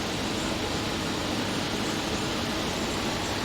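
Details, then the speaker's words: Window air conditioner with a large S-Series Tecumseh compressor, brought back to life with a fresh R22 charge; no leak found, likely low from factory. Steady even hum and airflow rush, no knocks, rattles or squeals; normal running. "Unit being brought back to life. Fresh charge of R22. I like seeing stuff like this."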